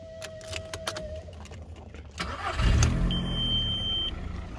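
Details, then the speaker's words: 2002 Skoda Fabia Estate 1.4 16v petrol, recently driven 60 miles, engine light came on then went off: key chime, short crank, fires promptly and settles into a steady, even idle; healthy normal start. "you can see runs well I drove the car 60 odd miles I've got fifty miles per gallon out of it pretty good for a petrol"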